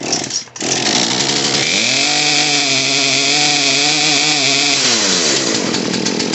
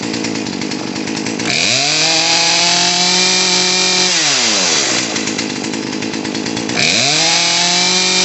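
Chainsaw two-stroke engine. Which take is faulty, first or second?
first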